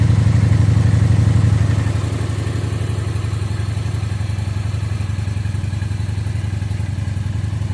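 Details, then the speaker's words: 2017 Phantom motorcycle that sat in a barn for years, running on fresh fuel with the old gas drained and a charged battery: engine fires, revs briefly, then drops to a steady, even idle thump of about four beats a second; sounds good. "Fresh fuel. See what happens. All right, everything sounds good."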